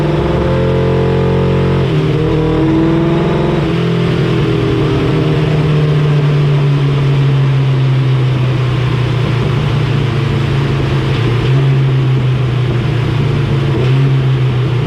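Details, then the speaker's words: 1987 Suzuki GSX-R 1100 four-cylinder on a dyno during carb tuning: droning under load with a rough, uneven beat and no real pull, gutless and misfiring; a spark plug change is suspected as needed, not confirmed. "Well, it's just gutless, is it? You can hear it. Yeah. It's misfiring."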